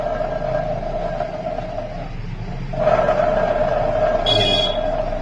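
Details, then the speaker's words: Maruti Eeco gearbox: steady mid-pitched howl with a rough rumble under it from fully worn countershaft bearings; noise gone after the bearings were replaced. "Counter के bearing पूरे खत्म है। ये देखो पूरे bearing खत्म है। इस वजह से आवाज कर रहा है भयंकर।"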